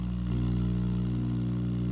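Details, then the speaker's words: RCA StratoWorld tube radio, powered up: a steady low hum at mains frequency with stacked overtones. The filter capacitors are likely failing and the set needs recapping. "so the good news on the RCA we have sound bad news you hear that hum I think it's safe to say that our filter caps aren't completely shot so this is gonna need recapping but it's alive making a hum"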